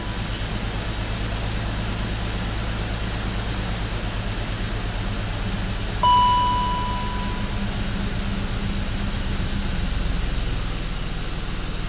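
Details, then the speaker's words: BMW X5 petrol six at cold start after sitting outside for one to two days at about 20°F: a low, uneven, stumbling idle that barely runs and could die. The misfire is attributed to intentional cylinder shutdown. "the car was sitting outside for like a day or two now and when I started up it barely ran I mean they could die"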